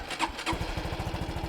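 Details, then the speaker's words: 2013 Honda Super Cub 110cc with a clutchless manual gearbox, first cold start of the day; starter whir, then the single catches and settles into a quiet, even putter about eighteen pulses a second, slightly louder than a Scoopy moped, normal cold start and idle. "It's very quiet. It's a little louder than the Scoopy moped, but not by much."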